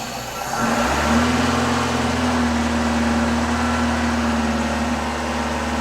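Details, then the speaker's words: 1989 Citroën CX 2500 GTi petrol engine, off the road since about 2007, after oil change and coolant flush, warming up: steady even quiet idle; runs normally. "and also I let this sit at five PSI for a while and it's just perfect nice quiet engine by the way it's really it's really"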